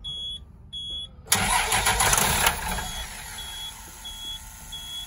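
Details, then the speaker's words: 2004 Blue Bird SC2000 bus, long-sitting, after rewiring restored gauge sweep: dash chimes, then about a second of strong rapid cranking that dies away without firing; cranks, no start. "a good start, sort of. I mean, it didn't start, but."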